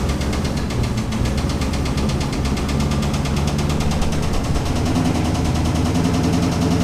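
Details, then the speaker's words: Turbo LS V8 runs rough with a steady rapid knock that began while doing donuts; rod knock is suspected but not confirmed. Oil temperatures were found very high, and the engine is being pulled. "unfortunately while i was doing the donuts my uh engine started knocking so it sounds like rod knock"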